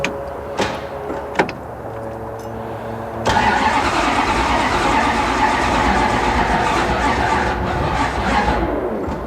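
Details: 1969 Plymouth Road Runner V8 during an engine-swap project: a few seconds of sluggish, uneven cranking, then it catches and runs well. Slow cranking; a weak battery is suspected, not confirmed.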